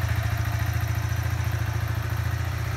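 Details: Kawasaki Z125 Pro, 3 weeks old, just over 100 miles, warm engine: light quick tick riding each beat of the steady single-cylinder idle, starts at idle once warm; owner unsure if normal, cause unknown.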